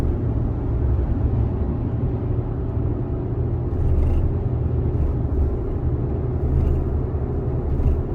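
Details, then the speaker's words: 2020 Chevrolet Colorado while driving: deep steady rumble with a repeating low shake through the whole truck; scan data shows converter slip repeatedly going over 100 RPM, indicating torque converter clutch shudder. "It's doing it really often, and that's your torque converter shudder. So I don't know if you guys can hear that, but it's shaking the whole truck right there."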